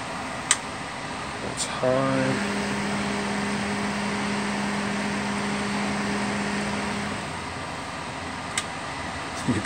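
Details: Duracraft Heat Furnace Plus CZ-1200 space heater, test run after repair and reassembly: steady low motor hum with smooth airflow rush, no rubbing, rattle or ticking. Normal fan run.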